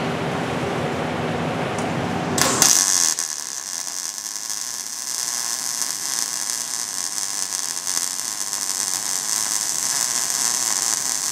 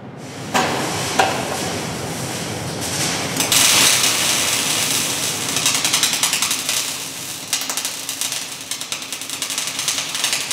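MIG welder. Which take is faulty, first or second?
second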